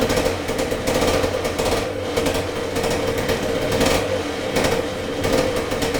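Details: 1978 Yamaha DT175MX two-stroke, very first start after complete restoration with new crank bearings and seals, new piston and rings and new small-end bearing: crisp buzzy note rising and falling evenly with throttle, no knocks or rattles; normal running.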